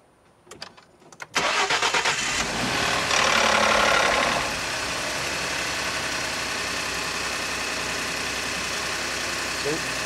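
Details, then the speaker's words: Ford F-150 EcoBoost on a cold start: a fast metallic timing-chain rattle over the revs that settles at idle. It persists after the timing chain was replaced under TSB-14-0194, and now seems to come from deeper in the middle of the block. "Made the noise again. And it just sounds like it's coming from deeper inside the engine this time, like in the middle of the block."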